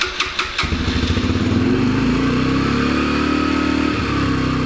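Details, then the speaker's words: Yamaha TTR125 single-cylinder dirt bike after carburetor cleaning (ethanol gunk in bowl) and new O-ring: starts with a few thumps, settles into fast, fairly even idle; smoother but still too high before idle screw adjustment. "The idle seemed smoother but still high, and they do not make the idle screw easy access on these, which is a little silly."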